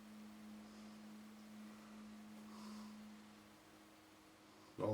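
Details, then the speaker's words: Sony TC-755 reel-to-reel tape recorder in rewind: a faint steady hum-like tone drops slightly in pitch, described as a horrible noise. The pinch roller and counter work, and the cause is not found. "that [ __ ] horrible noise. It could even be No, the pinch roll is working."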